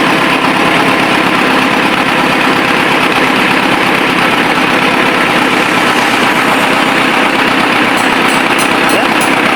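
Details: Ford 6610 tractor diesel at steady idle just after overhaul (4 new liners and pistons for smoky running) and hydraulic O-ring kit repair; even smooth hum over background hiss, no knocks or misses, healthy engine.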